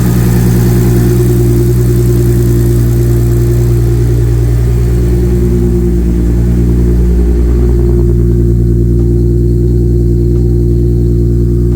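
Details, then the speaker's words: Supra engine after installing HKS 264 cams, new water pump and cam seals, possibly better timing: started easily in weather that usually needs three or four cranks; deep steady even idle, no knocks, coolant still burping. "Okay, so car started up nice and easy. Just normally in this weather it takes three, four cranks to start or maybe I just got the timing a little bit better than it was before. But it started up easy."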